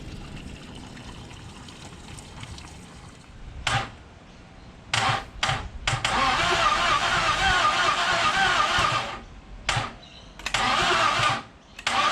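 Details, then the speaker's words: Rat-infested Ford 302 Cleveland engine, partly stripped and unrun for 20 years, cranked with fuel poured down the carburetor and choke open, no fuel in the filter yet: bursts of cranking that almost catch but never run; ignition timing suspected slightly off. "that's close it is very close isn't it doesn't there's any fuel in the filter yet not yet i'm wondering if we've got timing just slightly off"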